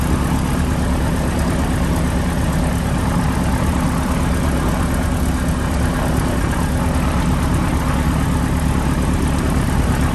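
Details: PA-18 Super Cub Lycoming O-320 first start after reassembly, idling: deep, steady, even low beat with no misses, knocks or surges; oil pressure came straight up, healthy.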